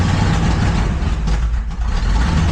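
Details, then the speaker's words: Truck with a brand-new ignition coil refitted during a misfire repair, letting off the gas: low, heavy lumpy idle with dips, rough running like a cylinder not firing; suspected misfire, timing or ignition circuit fault, cause not confirmed. "So, I let up the gas to die. Yeah. Sounds like the cylinder ain't firing or something. Something ain't firing, right?"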